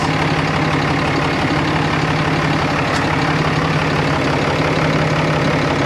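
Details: 2013 RAM 2500 6.7L Cummins diesel, first run after a new BD Diesel Screamer HE300VG turbo and exhaust manifold were installed; no leaks found and no boost yet. Even diesel clatter at a steady idle with a smooth low hum, no whistle, hiss or knock. Sounds pretty normal.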